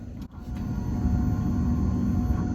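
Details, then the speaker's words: Key turned on, engine not cranked, ear near the fuel tank with the cap off on a crank-no-start engine: low steady hum for about two seconds, the fuel pump priming normally. "I can hear the homeowner so I know I've got a fuel sound you know we'll run for about two seconds"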